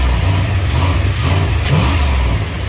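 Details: Engine with newly built double-barrel air intake (NACA duct, throttle-linked butterflies), still cold, revved to limiter once: loud intake roar as revs rise and fall cleanly, no stumble or rattle; healthy.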